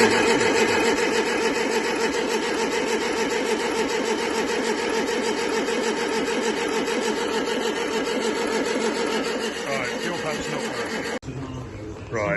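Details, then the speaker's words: Sunbeam Alpine Series V cranked with a hose fitted to check fuel pump pickup: long steady cranking about three beats a second, never catches; pump not delivering fuel, later swapped. "put that hose in there and I'll just crank it over and see if the pump will pick up."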